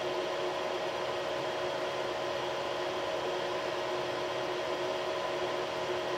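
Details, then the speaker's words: Creality CR6 SE 3D printer with stock power supply and motherboard fans, while printing: a steady, loud, airy whir measuring 64–65 dB. The X, Y and Z stepper motors are very quiet; the fans make the noise. Noisy cooling fans. "so so as you saw there it was about 64 to 65 decibels and that's measuring the uh while it's doing a print it's actually doing one of the parts that we'll be using for this video and you can hear the uh the motors the x y and z mowers are all very very quiet it's just the fans that are generating the noise"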